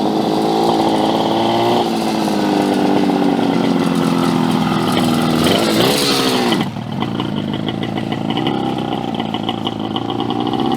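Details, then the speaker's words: 1968 Yamaha 180 two-stroke running rough, fluttering and dipping as revs rise and fall, won't idle, pulls only in a range in each gear; owner suspects motor shot with no compression. "I'll Reserve judgment but I think that the motor's shot oh top of my head there's no compression that's why I want idle"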